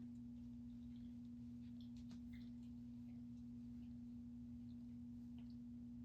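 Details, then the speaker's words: Space Duel arcade machine during restoration: steady, pure low hum holding one pitch, an audio tone noise suspected from the power brick or the audio side of the AR board; cause still unknown. "At least we can hear the beeps. Nope. Making that noise again already. There it goes."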